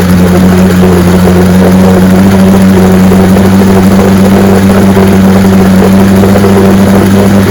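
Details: 1965 75 hp Evinrude Electromatic outboard (owner thought 1963) with electromatic shift, serviced with new water pump impeller and lower unit: steady, even low drone with constant pitch, no knocks or misses; runs like a charm.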